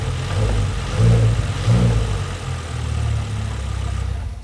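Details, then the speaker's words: Audi RS6 V10 after tune and upgraded high-pressure fuel pumps, revving in place: revs climb and fall cleanly with only light, even injector tick; earlier top-end tapping, blamed on a hydraulic cam follower, no longer heard. "so right now it's mostly just like injector noise but I put the footage on from before it went for a tune how it sounds like"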